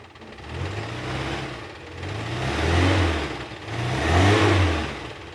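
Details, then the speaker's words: 1994 Suzuki Carry 1.0 pickup, still cold, revved: engine rises and settles twice cleanly with no knock, tick or rattle, no white exhaust smoke; piston rings judged fine; healthy revving. "jadi mesinnya memang masih cukup oke istilahnya kita starter suaranya masih halus kita geber pun nggak ada suara yang aneh"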